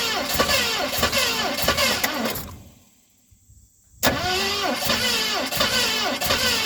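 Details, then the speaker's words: 1970 Mustang Mach 1 with a new distributor, weak spark and plenty of fuel added. The starter churns at about 2.5 turns a second, stops and cranks again, never catching. Owner suspects a weak 2020 battery; cause unconfirmed. "We are getting a very weak battery, so I think we didn't start out with a strong battery."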